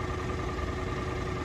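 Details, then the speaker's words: Peugeot 107 (CityBug) small petrol engine, unstarted for over a year since its gearbox failed, started on jump leads at the first turn of the key: smooth, steady, even idle with no knocks or misses. "how reliable is that it's been sat for all that time and first flick of the keys"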